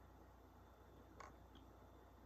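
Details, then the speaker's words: HP laptop while installing macOS, only USB and power supply plugged in: single faint pop and tiny tick over a low hum; owner suspects the mechanical hard drive; intermittent popping. "yeah you heard that it's like popping almost I only have my USB and my power supply plugged in"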